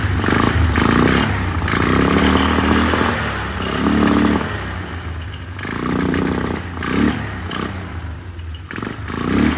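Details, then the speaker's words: 1999 Polaris Sportsman 500 single, first run after a fuel pump replacement on a temporary tank, airbox not yet fitted. Surging and stumbling, revs rising and sagging unevenly with a clattery exhaust: running rough, and the owner plans to tweak the carburetor. "running not running smooth as I like to see it let me tweak on the carburetor a little bit and get back and see if I can figure this out"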